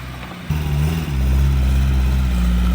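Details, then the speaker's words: Porsche 924 sitting over 10 years, first start and drive: engine settles into a smooth, quiet, even low rumble with no knocks or ticks, some exhaust smell; runs healthy, later died from a disconnected battery. "man that Porche run beautiful honestly it's like somebody took care of it so quiet so smooth"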